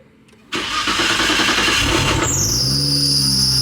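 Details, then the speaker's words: BMW M4 GT3 started after sitting a long while, before warm-up, with a cold transmission previously damaged by a misshift; engine settles to fast idle, then a loud shrill drive-belt squeal that the owner expects to stop; belt squeal on cold start. "Don't mind the belt. Don't mind that. That will stop. It actually doesn't even sound off, really."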